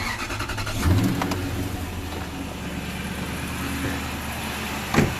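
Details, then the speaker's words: Truck with a used replacement engine (shop says about 50,000 miles) fitted after the old one hydrolocked, heard at night after a drive: brief blip, then a smooth, even low drone with no ticking or knocking, normal running. "yeah I like the engine the engine sounds really smooth it drives like all the engine sounds like it was like my truck was when it was really new you know"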